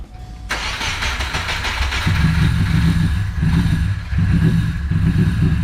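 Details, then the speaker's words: Subaru Impreza GC with swapped JDM EJ205 engine, first start after oil priming and fuelling: catches after a brief crank and settles into a smooth, steady idle with no knocks or misses. Healthy. "i'm pretty stoked sounds smooth motor sounds great"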